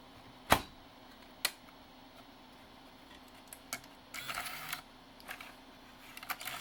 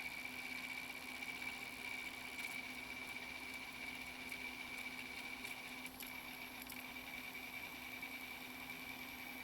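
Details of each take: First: NEC-based CD-ROM drive (Intersect CDR-84) with a weak laser, running after lens cleaning and with shields refitted: irregular clicks and short buzzing bursts of head seeking over a quiet spin hum; servo instability. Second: Old NEC-based CD-ROM drive (Intersect CDR-84) reading a pressed CD: steady high spin whir with faint low hum and no skips or seeking; normal. Problem appears only with CD-Rs, from a threshold laser or low CD-R reflectivity.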